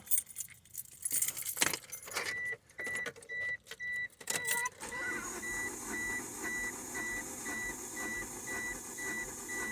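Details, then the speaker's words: 1995 Mitsubishi Eclipse GST, stock bottom end, cranking about 7 seconds for compression test: even, unbroken starter cranking at about two beats a second; this cylinder reads 180 psi, lowest so far but healthy. "Yeah, that was about 7 seconds. And this one's at 180, so it's a little bit lower. This is so far the low one."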